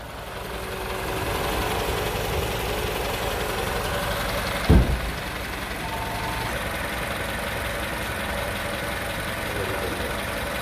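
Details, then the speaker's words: 2010 Toyota Venza 4-cylinder idling before an AMSOIL engine flush oil change: smooth, even idle with one brief bump partway through, no misses or knocks. Healthy, normal idle. "all right it's gonna sit there and idle for 15. we'll be back in 15. give you a little before of what the engine sounds like this is what it sounds like"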